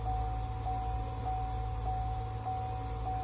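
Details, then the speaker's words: Chevrolet Camaro electric supercharger with car off, signal raised from 1730 to 1750: steady airy hair-dryer whir with one constant mid tone, no engine running; normal electric supercharger operation at low duty. "so all i did was increase the the signal from 1730 milliseconds to 1750 and that gives you the power that you're hearing right now which is just like a like a hairdryer kind of thing"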